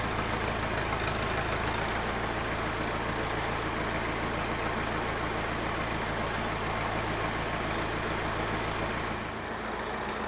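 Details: Massey Ferguson 50HX 4WD backhoe loader, 4-cylinder Perkins diesel, hydraulic pump just reconnected to the engine: steady rumble with an even beat near three per second, no knocks or grinding; engine and pump run normally though arm cylinders leak.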